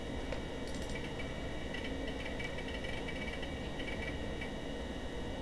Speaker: Oh, man, that is slow! My hard drive is chugging!